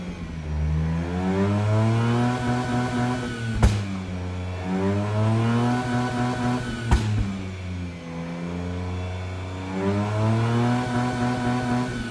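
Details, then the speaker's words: Mazda RX-8 rotary with prior starting issues, revs dropped under 3k after shooting flames: swelling and sagging revs with sharp pops, wants to quit near 1k; check engine light flashing; owner suspects blown head gasket or worse. "i'm dropping rpms down guys it seems like it wants to quit and your lower wants to quit"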